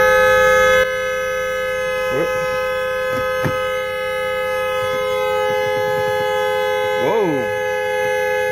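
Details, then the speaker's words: Dodge Nitro no-start, battery reconnected: a loud steady two-tone horn blares without stopping; horn stuck on, the reason the battery had been disconnected, TIPM fault suspected. "They disconnect the battery because obviously the horn was staying blowing."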